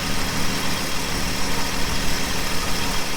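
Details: 1967 Plymouth Valiant slant six, first start after years sitting, carb float bowl filled: engine catches and settles into a steady, somewhat rough low idle with no knocks.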